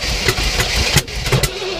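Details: 1967 Oldsmobile Toronado project, fuel poured down carb, points cleaned: cranking breaks into a few ragged firing pulses with throttle blips, but never settles and fades out; can't run on its own.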